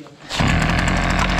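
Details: Husqvarna 553 RBX two-stroke brushcutter that would not run, after fault-finding and repair: it catches and settles straight into a steady, even buzz with no spitting or bogging; normal running.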